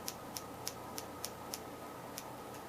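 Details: Engine being tested for spark and fuel with no condenser fitted: sharp, dry snaps about three a second, uneven with occasional missed beats. Intermittent spark; a weak start is expected without the condenser, and a poor battery connection is suspected.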